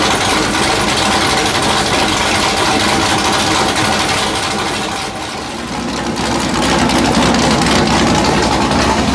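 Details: Factory Five Mark 4 Roadster build engine on the run stand, last firing before removal and install into the chassis: loud raspy exhaust, steady even beat, no knocks or misses; runs great; normal running.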